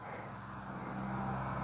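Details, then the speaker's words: Mercedes GLE 2.2 biturbo with P0299, limp mode above about 3200 rpm: steady engine hum with an airy blowing hiss from the left side, not a burst-hose roar; boost escaping at a loose EGR pipe bolt. "Da se aude un zgomot un sunet ca și cum cum ar sufla ceva dar nu este un suflu"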